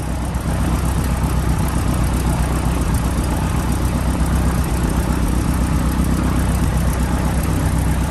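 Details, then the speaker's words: PA-18 Super Cub Lycoming O-320 first start after reassembly, low idle: deep, steady, even rumble with no misses or knocks; oil pressure came straight up, healthy engine. "There we go, we have light off. Oil pressure's come straight up, that's good."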